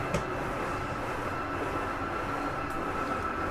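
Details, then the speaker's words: Jayco Eagle HT 25.5REOK, living-room slide room 2 extending fully: steady even motor drone with faint thin whine, brrr as slide mechanism sets itself, no knocks or grinding; normal slide-out motor operation. "He's going to keep pushing it until it runs all the way out. And I wanted you to hear that. That brrr noise is okay. That's just the slide mechanism setting itself."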